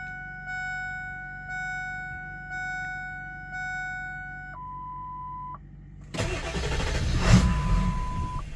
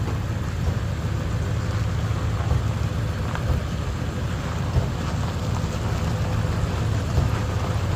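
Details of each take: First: Ford 7.3 Powerstroke that was running fine then shut off as if the key were turned: key-on chimes, then labored cranking that never catches, tachometer not moving while cranking; owner suspects a bad cam position sensor. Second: Ford 7.3 Powerstroke diesel after replacing suspected bad crankshaft position (CPS) sensor for cutting out/no start: steady low rumble, even beat, no stumbles or cut-outs; running normally after fix.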